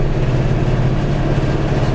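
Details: Kubota RTV utility vehicle with a V5245 hand throttle kit, engine just started: a steady low diesel clatter at an even idle with no misses or knocks; a healthy small diesel ticking over.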